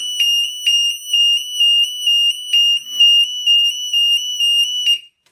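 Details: Burglar alarm sound bomb and strobe in a vented bell box, test run: a shrill piercing tone pulses about twice a second in a steady on-off pattern, then cuts out, so the siren is sounding normally.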